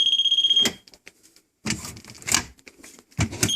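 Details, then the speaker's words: Water-damaged cabinet inspection in Chula Vista after poor mitigation: moisture meter gives a shrill continuous beep on probe contact amid handling clatter, material water-stained, moldy and very wet, drywall also wet. "You will see that this is all very water stained and it's covered with mold. And it's also very wet."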